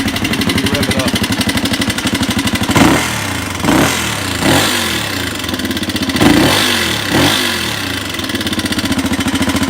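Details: 1985 Honda XR200R four-valve single-cylinder, smoking and needing rings: fast, light ticking at idle that quickens with each throttle blip; teardown found the camshaft and rocker arms pitted and wavy, presumably from lack of oil.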